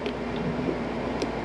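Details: 2000 Pursuit 3400 boat air conditioner after reinstalling and rewiring the unit, set to 72: steady even whoosh of fan and compressor, no knocks or rattles; running normally.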